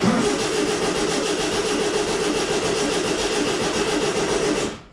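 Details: Volkswagen Baja Bug that stopped running, in neutral with choke pulled and throttle pumped: starter spins the engine steadily about five seconds with no firing, then stops; cranks but won't start, fuel system suspected.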